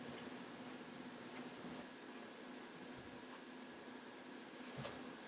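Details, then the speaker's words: 1973 Luxman L-507 amplifier (50 W/channel) that crackled and popped on the left channel at cold start before relay engagement: power-on now gives faint steady hiss and one relay click, no crackles or pops; fault seemingly corrected itself, unsure why. "hear absolutely no noise uh that's it corrected itself I'm not sure"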